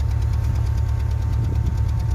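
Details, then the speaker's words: Hyundai i20 Mk1 idling cold with a misfire: rough, uneven idle with a stumbling low thump, lacking power, high fuel consumption (7.6 vs about 5.7–5.8 normal); spark plugs, coil packs or compression loss being checked. "I'm talking about a car that's misfiring, right? It goes like instead of a constant um run that the car needs to run like let me show you."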